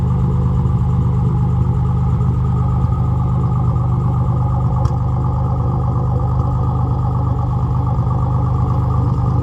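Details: Nissan Z31 300ZX engine before top-end rebuild: deep uneven exhaust beat with an occasional stumble at steady running; misfire.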